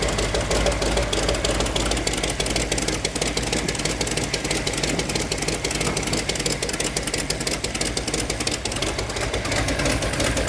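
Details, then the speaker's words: 1972 Dodge Dart Swinger, new V8 with Comp XE268 cam, first run on straight water without thermostat: sharp quick ticking puffs about three a second over lumpy idle; exhaust manifold leak felt blowing from the middle on one side. "I think it's leaking on the other side. Yeah, it's not leaking over here. I think it's the middle board. Yeah, it's leaking out of I can feel it blowing out of the side."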